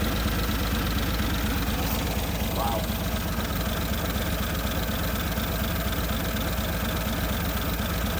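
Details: 1950 Nash Statesman straight engine, first run in 23 years, on 12 volts via jumper cable after 6 volts cranked too slowly: even steady idle beat, no knocks or misses; sounds healthy and smooth.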